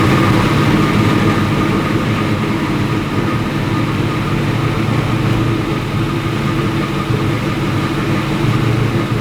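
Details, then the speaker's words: Sandman panel van V8 at smooth, even idle with a steady low rumble and no misfire on first start. After two days of no-fire, new coils, plugs, floats and idle mixture were tried; the cause was ignition leads in the wrong firing order, now corrected. "Well, she runs! Finally! So, what was the problem? The firing order was way out of whack."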